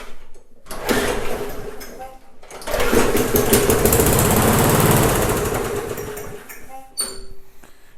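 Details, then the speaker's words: Neglected, rusty MTD mower with no choke, first start after confirming spark and adding starting fluid: catches after a couple of pulls, runs steady and even for a few seconds, then drops back; starts and runs well. "Sounds like the engine's gonna do pretty well."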